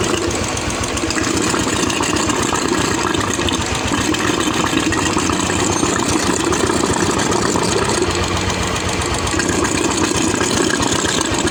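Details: Royal Enfield UCE Electra (Bullet) single-cylinder after engine-noise repair, with head gasket, head, rocker arms, carburettor and silencer packing refitted: steady even idle thump with valve chatter, no knock or rattle; oil circulation perfect; healthy.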